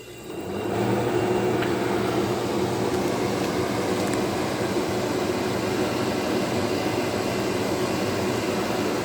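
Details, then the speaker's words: Vintage KitchenAid (by Hobart) dehumidifier, model KDH20, 4.6 amps, made in USA, year unknown, hose draining to pipe: switches on and rises within a second to a steady, even whir and hum, no rattle or knocking; normal running. "It seems to work really well. I've actually noticed, since this has been running,"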